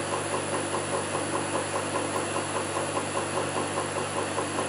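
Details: Land Rover LT230 transfer box on the bench: steady knock about 2.5 times a second over the running whine, loudest at the intermediate shaft; ran hot, plans to strip it and replace intermediate shaft bearings.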